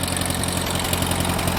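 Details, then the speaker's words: Ford 8N tractor, sat for years, first run: loose busy clatter over a low thump at idle; valve clatter, owner suspects years without oil flow, dirt from sitting or possibly a burnt valve. "it's got some red valve platter probably because it hasn't had oil flowing through it in years"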